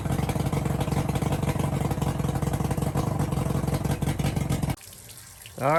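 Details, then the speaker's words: Johnson/Evinrude outboard after lower unit replacement, run in forward and reverse: steady, even beat with no knocks or rattles before cutting out, good water stream, no vibration; healthy and smooth. "I put it in forward and it engaged in gear and spun real good. I put it reverse, same thing, no vibration."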